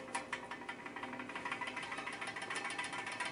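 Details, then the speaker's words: Vintage Arctic Air fan, rewired and bearings oiled, run on low speed through a variac with a series 150 W bulb: soft whir with a quick tick about six times per second. Owner suspected a bent blade. "like something might be a little out of kilter maybe a fan blade is a little bit bent"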